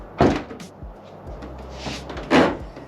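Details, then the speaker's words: C8 Corvette, about 2.5 years old with about 40,000 miles: rear hatch lifted by hand gives two short, sharp creaks, quiet in between, exact source not pinned down; hatch creak when opening. "you hear that Creek yeah it's not exactly the nicest sound especially when you're showing up to a car show with all your buddies and you're trying to show off and then you open up and it sounds like it's like the hatch is about to fall off"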